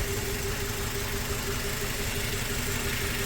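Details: 2004 Toyota Tacoma four-cylinder, 141,000 miles, warm, cylinder 1 injector showing a good pulse and plugged back in: idle still uneven, stumbling roughly twice a second; suspected injector sticking closed when warm.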